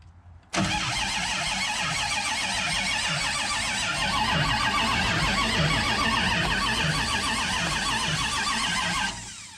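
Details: 600+ hp 505 stroker V8 in a Dodge Charger on its first start attempt; starter churns it evenly at about four beats a second for nine seconds without firing while fuel delivery to the carburetor is in question; cranks, no start.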